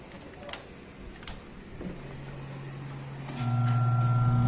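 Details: Homey twin tub washing machine wash motor, previously only humming, after freeing a stiff rusted part with gasoline and WD-40 and oiling: quiet, then a steady low hum with faint even ripple as it spins freely; normal wash motor running.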